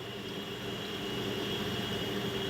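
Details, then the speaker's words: KitchenAid side-by-side refrigerator condenser fan after installing new motor and fan blade, replacing a noisy knocking motor: soft, even hum with steady high tone, no knocking or ticking; normal condenser fan operation. "maybe I'm into that but there it is running nice and smooth"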